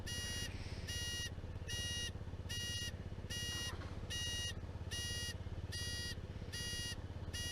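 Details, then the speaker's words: Honda Zoomer scooter recorded from a helmet cam: a bright beep repeats about ten times in eight seconds over a steady engine thrum. This is the owner-added audible indicator buzzer working normally. "That noise you can hear is the audible indicators. When I first got the zoomer, I found the indicator switch really fiddly compared to the sort of more modern ones."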